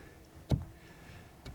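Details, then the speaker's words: Steering shaft universal joint (U-joint crosspiece) play appeared after a new steering rack was installed: a single dull clunk, then a fainter one, in one spot as the wheel is rocked; the joint needs centring. "как в карданчик в как в креста венки у нас имеется люфт пожалуйста вот так вот парни вот он стук пожалуйста на одном месте"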